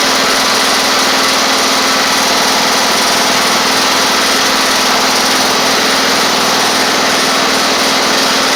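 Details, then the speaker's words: Toro Z2550 zero-turn small twin needing fuel system work, running on its own and moving under its own drive: one brief stumble, then a steady, fast, even buzz with no misses; running normally, though a flywheel magnet charging issue is suspected. "got a little stumble I I over there there we go all right that is a good good thing running running like that"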